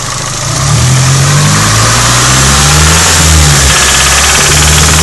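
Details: Nissan 180SX Silvia SR20DET redtop engine, noise only between 2000 and 2500 rpm, seemed to come from head: metallic rattling knock over engine note; confirmed worn big end bearings.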